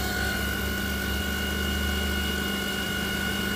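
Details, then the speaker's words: 2008 Jeep Grand Cherokee 4.7L 4x4, brought in dead with smoke from the fuse box, with a fully charged battery: a steady high alternator whine under a carbon pile load, output stuck near 50 amps; bad diodes suspected. "and we'll see what this alternator but listen to that thing whining now we know this battery is like pretty much fully charged"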